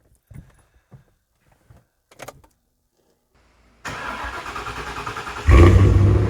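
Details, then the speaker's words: Rare Monogram MG ZT260 V8 started after winter hibernation: starter whirrs briefly, then the V8 catches and settles into a deep, even burble with no knocks or misses; healthy start and idle. "I hope you can still hear me over the engine noise, but well, I think it's just such a treat to stand here and listen to this car run and, well, burble away. It makes such a lovely noise."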